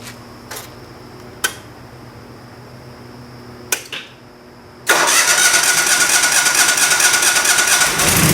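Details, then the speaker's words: Craigslist generator, after leak checks at the regulator and intake: a few clicks and pulls, then it catches and settles into a steady, even run, a healthy start. "Hey, there she goes. That sounded good to me."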